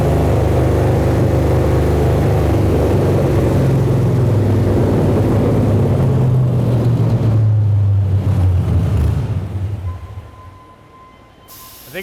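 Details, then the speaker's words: Aluminum-block 5.3 LS Chevrolet V8 for a 1999 Porsche 911 swap, full-throttle dyno pull of about 292, aiming for 300: deep, even roar climbing steadily with no misses or knocks, backing off cleanly; healthy. "292 292 it sounded good we're going to try we may not get over 300 but we're we're going to try a little harder right now"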